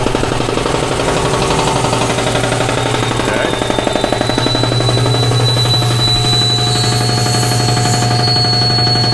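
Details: Shop air compressor after repair of its leaking pressure cut-off switch: fast, even piston chatter over a steady motor hum as it pumps up toward about 150 psi, no knocks or stumbles; running healthy.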